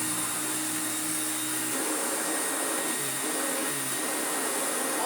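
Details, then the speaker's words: Old Electrolux Glider upright vacuum, brush roll worn and dirty, floor selector on setting 2, first power-up on carpet: steady airy motor roar with even hiss, no surging or rattles, brush beating carpet; running normally. "I can hear it trying to beat the carpet. Oh my. I can hear that trying to do things like agitate and improve and clean."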